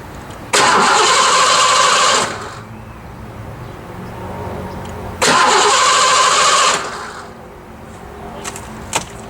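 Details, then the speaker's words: 5.0 Fox Body Mustang after an accident: two short cranking bursts, starter spinning steadily, no firing and no fuel pump sound; a tripped inertia switch likely cut the fuel pump. "okay here we go guys huh I don't hear the fuel pump so I don't think it's going to"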